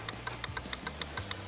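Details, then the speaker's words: Harley-Davidson V-Rod barn find left sitting in the woods: lights work but the starter only clicks rapidly, about six per second, with no cranking; an electrical issue is suspected. "ain't got no starter just clicking just a clicking we got lights but no starter"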